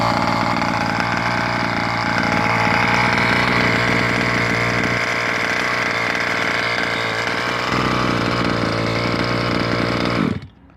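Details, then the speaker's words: 1/5 scale petrol RC car, small two-stroke, carb primed, no choke, after pull-starting: steady high-pitched buzz for ten seconds, then cuts off cleanly; runs evenly and sounds healthy. "Couple pulls, a few more pulls, and then one big pull. Until you hear it start."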